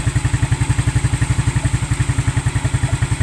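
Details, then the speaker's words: New Smash motorcycle after starter motor repair (cracked magnet replaced, reversed rotation corrected); starter now engages within five seconds, then a steady, even putter at about four beats a second with no misses or knocks, clean idle. "Tidak kurang dari 5 detik itu sudah langsung nyantol, langsung creng. Hmm. Penak pokoknya enaknya tuh. Enak gitu ya, Guys."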